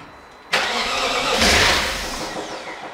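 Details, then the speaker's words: BMW E38 with a freshly swapped-in 4.6 engine, first start attempt: the starter spins it briefly in a steady whirr with a rising rush, not yet firing, while oil pressure builds. Normal cranking. "now technically it should start but i'm gonna start it for a second and switch it off just make sure the wall pumps up"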